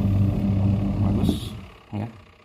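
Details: Twin-tub washing machine spin-dryer motor, tested after repair for a complaint that it would not spin; its resistance had been found very low. Steady low mains hum, even running, then it winds down and stops with a soft thump; spin motor now normal.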